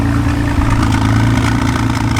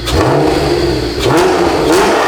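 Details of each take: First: 1991 Honda NSX, junkyard car that sat outside for years, first start: runs steady but rough with an uneven rattling clatter over a low drone; owner suspects a big exhaust leak or misfire, check engine and TCS lights on. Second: 1991 Honda NSX V6 after restoration, new exhaust, warming up: crisp repeated revs climbing and falling cleanly, about four blips, smooth rasp with no rattles or misses; healthy, exotic exhaust note.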